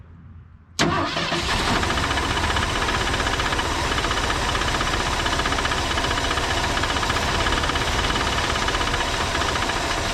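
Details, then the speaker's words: Old Ford, previously seized, cylinders soaked, first start on a temporary gas tank on the hood: catches after brief cranking, runs ragged and uneven with a loose knocking patter; oil pressure present, fuel pump found dead; rough running. "it's doing it it sounds healthy not really but uh we've got oil pressure"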